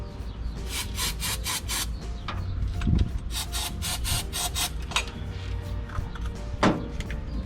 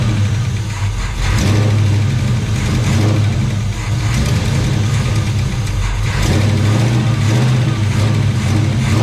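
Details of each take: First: Chevelle that sat in a barn 15+ years and caught fire on its last run: the starter churns in quick bursts but never catches. Fuel has not reached it yet, and the fuel pump is suspected of barely pumping. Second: Chevelle sitting 15+ years in a Texas barn, mechanical fuel pump replaced with temporary electric pump; steady low rumble with throttle blips, even firing, no tapping or knocking; runs fine.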